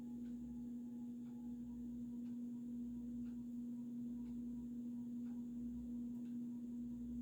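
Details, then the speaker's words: Vintage early-1980s Supreme Mark II 52" spinner ceiling fan running in reverse on high, wobbling slightly: steady motor hum with a faint click about once a second, matching rotation, from the loose glass light globe. "And now you can hear that annoying noise from the globe, of course."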